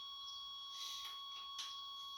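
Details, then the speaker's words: 1989 Chevrolet Suburban sat 15 years, start attempt with makeshift fuel pump, battery hooked up before coil wire connected; faint steady high-pitched dash warning buzzer, goes away once coil wire is hooked up. "And there's that annoying buzzer that my son just loves to hear. But he's not out here today, so you don't have to listen to it as much."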